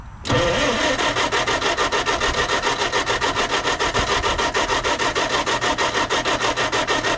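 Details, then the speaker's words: Marketplace project engine, previously only idling, with oil overfilled and smelling of diesel: steady starter cranking for seven seconds that never catches. The fuel pump is pumping; owner suspects a dirty carburetor, flooding or lost spark. Cranks, no start. "I think the carburetor is just trashed up. Maybe it's flooded. Maybe we lost spark."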